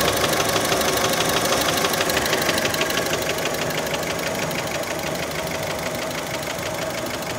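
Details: Warm idle on a Fiat Panda: a sharp, regular metallic tapping about three times per second from the bottom end; many suspect piston skirt knock, cause unconfirmed.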